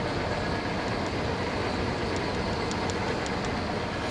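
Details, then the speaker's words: Monarch lathe being restored, test run at slow speed. A steady, even mechanical rush with light rhythmic ticking and no knocks or grinding. The machine runs smoothly and normally. "Everything's looking pretty good, sounds good. Flowing pretty smooth."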